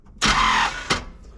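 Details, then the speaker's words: 1979 Chevrolet C10 sitting for years, fuel line disconnected: starter cranks half a second then stops with dull thunk; Bendix engagement or flywheel issue suspected, not confirmed. "it's turning a tad bit and then stop oh turning stop that is that doesn't sound good"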